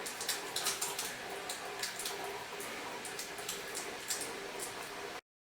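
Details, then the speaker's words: Countertop dishwasher that had thrown an E4 code from a plugged drain hose, after the hose was cleared with compressed air. Water sprays and splashes steadily with light patter and no fault beeps. It is cycling normally without a code. "as you can see it's going through the cycles you can hear it running without a code"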